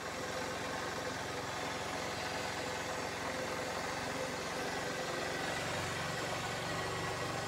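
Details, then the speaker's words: Honda CG 150 motorcycle whose battery was fully drained after the key was left on overnight, jump-started from a car battery: it catches and settles into a steady, fairly even single-cylinder idle, running normally. "pegou porque tá em marcha lenta mas só acelerar aqui vai"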